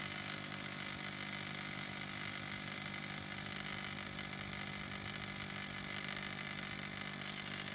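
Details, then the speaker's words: Ford 6.0 Power Stroke F-250/F-350 Super Duty electric vacuum pump, reservoir line reconnected, drawing down toward its target vacuum: even electric whir, no knocking or surging; normal pump operation. "so just take a second here it it'll get to the desired vacuum"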